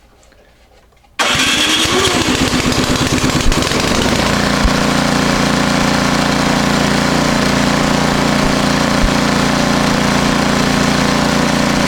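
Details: Powersmart 24-inch snowblower, in for a chute control cable, that previously ran poorly. Warm after two days under a heater, primed with a little choke, it catches within a second, briefly revs, then settles into a steady, even idle with no surging. Healthy start.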